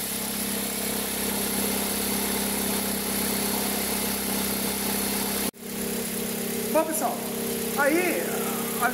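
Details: 2003 Toyota Corolla, cold start: a steady whirring chatter rides over the idle. A stethoscope finds it loudest at the accessory belt drive, resonating through the whole engine and even the manifold. The noise occurs only cold. Worn accessory belt tensioner.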